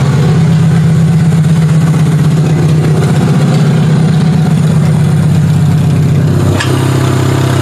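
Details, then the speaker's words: Demolition derby car before the derby, charging system and alternator working, barely muffled exhaust: loud, deep, steady idle, even rumble, slight pitch drop near the end; runs well but loud. "Much quieter. Oh, that was a bit loud."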